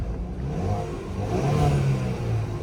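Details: 2018 Chevrolet Camaro, 6-speed manual, crashed on a test drive with the airbags deployed; it still starts and runs but won't drive: revs rise and settle with a smooth tone and a faint turbo whir, no knocking or rattling, so the engine sounds healthy.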